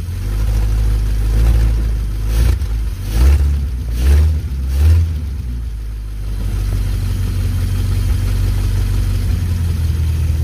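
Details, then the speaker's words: 1951 Pontiac Chieftain, first run after months of revival work, smoke appearing. Deep loud unmuffled burble at idle swelling with throttle blips; exhaust broken off partway along the pipe. "where is it smoking the exhaust is broken off like right in between here"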